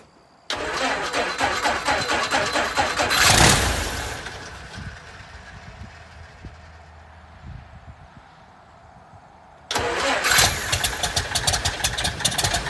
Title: First start in our 67 Citabria restoration. 😎